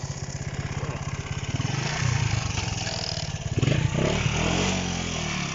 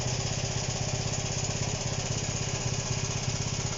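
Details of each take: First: Honda CB125 RS after fixing wires touching that caused running issues: small single revs cleanly through the gears riding up and down the street, even firing with no cutting out or stumble; running normally. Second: Honda CB125 RS, carbureted, running with no air filter fitted and the air screw adjusted, spark plug very black: steady, slightly lumpy idle at about four beats a second with a sooty uneven note; running rich.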